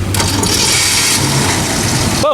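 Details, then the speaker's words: AMC AMX V8 on a jump start: the starter whirs briefly, then the engine catches and settles into a steady, even idle with no stumble. The battery (about a week old) and the starter solenoid are confirmed fine; a cooling issue is still unfixed. "like i said so the fun part here is the battery is fine the starter solenoid is fine because clearly it started"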